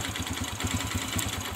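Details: Kawasaki Kaze R idling: pulling in the clutch to shift brings a quick, regular clattery "krek krek" crackle over the engine beat from the clutch side; cause suspected, not confirmed before teardown.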